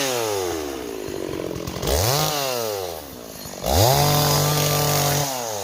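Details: Stihl 026 chainsaw on an 18-inch bar, cutting wood: revs cleanly up and down, holding a strong steady scream under load between throttle blips; running and cutting well.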